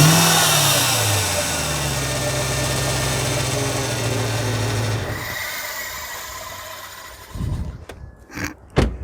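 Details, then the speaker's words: Ford Falcon XR8 V8 at auction, engine bay open, aftermarket exhaust: revs up and drops back with a thin high whiny squeal over loud exhaust; belt noise, suspected from a vibrating pulley, belt area oil-coated. "all right so we definitely have some belt noise and it's caked in oil uh i don't think that's oil someone's tried to polish it up yeah um sounds very whiny and i reckon it's probably from that pulley there that's vibrating"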